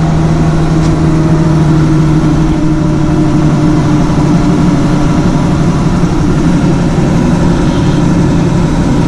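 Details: 2000 Ford Ranger after fuel pump replacement, with the bed removed: the engine holds a steady, even idle with a smooth low hum and no misses, surges or stumbles; normal idle.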